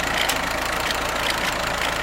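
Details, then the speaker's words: Rebuilt Ford tractor (amphibious project) after new belt and fan fix, about a week later: steady, even idle, nice and quiet, super smooth, no rubbing or missing; owner notes aftermarket carb runs slightly lean, choke held out a bit. "i guess you're ready to hear the the end result which i am very very pleased with nice and quiet runs super smooth"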